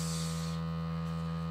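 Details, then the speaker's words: New LG UP970 4K Blu-ray player on first use, disc spinning while loading: loud steady low buzz with a hard tonal edge, seemingly tied to laser movement; abnormal disc drive buzz also reported in online reviews, cause not confirmed. "I've read the reviews online about there being a buzzing noise from the player and I can see why a lot of them have been returned"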